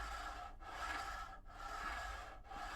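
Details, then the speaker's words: TT120 model railway wagon pushed gently back and forth on track laid on foam, no glue: soft, even rolling rasp, no rattle or drumming; quiet wagon rolling on track. "I'm not putting any pressure on that at all that's literally just backs and forwards okay nice and quiet and exactly the kind of the level that I'm looking for"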